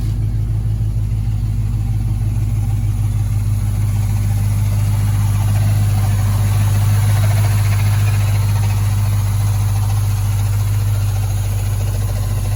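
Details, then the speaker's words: 1965 Impala convertible after LS V8 swap with new headers and engine mounts; deep, steady, even idle with smooth low rumble, quiet exhaust likened to a Corvette, no knocks or misses: normal idle. "Nice and quiet. Sounds just like a Corvette. The exhaust sounds like a Corvette, everything."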